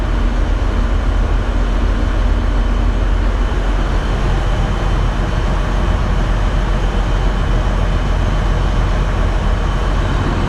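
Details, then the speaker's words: Case IH 2388 combine diesel started after annual service (fresh oil and filter change, new air and fuel filters), left idling: steady, even low rumble with no knocks or misses; normal healthy idle. "Start it up. I'm just gonna let it, just idle it."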